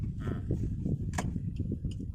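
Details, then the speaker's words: Suzuki Ertiga automatic driven over speed bumps and rough road: irregular low kluk-kluk thuds and clunks under road rumble all along the drive; worn front suspension, with CV boot, stabilizer links and shock supports due for replacement. "Suaranya itu ada suara kluk kluk kluk kluk kluk kluk kluk gitu sepanjang jalan itu, Sobat. Jadi tidak hanya saat kita terkena polisi tidur ya. Jadi terasa semua dia."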